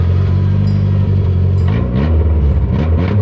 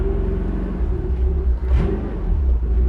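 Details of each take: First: 1985 Toyota pickup, carbureted, revived after 20+ years in a junkyard: idle sags and surges about every second and it stalls; owner suspects needed carburetor adjustment, timing and vacuum leaks. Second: 1985 Toyota pickup with a carbureted engine, abandoned in a junkyard 20+ years, on its first test drive in first gear after signal generator replacement, running with no thermostat: deep steady rumble, no knocks or misses; healthy under load.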